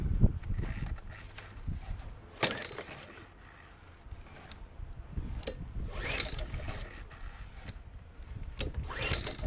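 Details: Etesia Pro 46 lawnmower that had been sitting a while and wouldn't run: repeated pull-cord rips, each a brief burst of turning with no catch; cranks but never fires. Spark was confirmed afterwards, carb to be cleaned; cause suspected, not confirmed.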